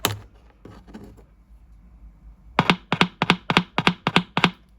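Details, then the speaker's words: Arvin 257T tube radio, power off and unplugged, battery touched to speaker leads: crisp clean clicks about seven in two seconds; speaker and output transformer working. "We're going to hook up just a little test with a battery. This will let us know that the transform the output transformer is working fine."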